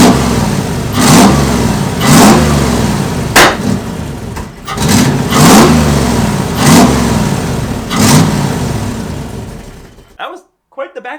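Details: 1989 Toyota Pickup with a swapped 1UZ V8, after fine-tuning so it can idle. The engine is blipped up roughly once a second, then gives one sharp crack partway through. It is a backfire on the rev, cause not yet clear.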